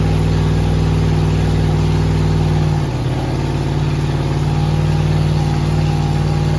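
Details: Rebuilt 5.3 LS V8 with a Truck Norris cam and BTR beehive springs on an MSD ignition box preset, at first start: it lopes unevenly with a lumpy, stumbling beat and a hitch, misfiring on incorrect ignition timing.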